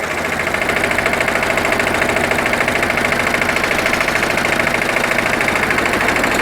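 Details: Dennis Premier diesel mower after gearbox rebuild with the original output gear refitted, drive engaged at very light load on level ground: even diesel clatter with no gearbox howl; owner unsure whether it returns after use or on slopes.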